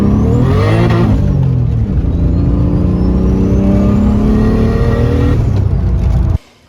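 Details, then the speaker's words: Turbo M52-swapped BMW E30 with a new full 3-inch stainless turbo-back exhaust, after re-tightening a coupler that had come off and is now holding. Deep drone climbs with revs and settles back, with no rattle or leak puffing. It is quieter and sounds good. "took it back pretty happy with exhaust uh a lot Qui quieter now yeah so we had to end up tightening that coupler that came off in the last clip and seems to be holding fine now car sounds good rips"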